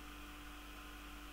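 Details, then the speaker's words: Raspberry Pi 4 Model B starter kit case fan during first boot: quiet steady drone at one fixed tone with soft hiss, fan loud because it vibrates slightly on the desk. "c'est beau je sais pas si vous entendez mais c'est le ventilo qui fait du bruit comme ça vu que ça vibre un petit peu sur le sur le bureau"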